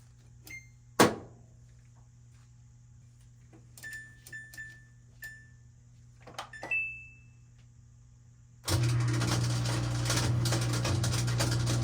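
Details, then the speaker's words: Older Samsung washer WF328AAW/XAA showing code F23, in spin: drain pump starts with loud coarse hum and steady gritty rattle; a plastic piece lodged for years had half-eaten the pump impeller. "So your pump is partly damaged. You see the impeller? Mm-hmm. Yeah, so half of it's eaten up, but it might be okay."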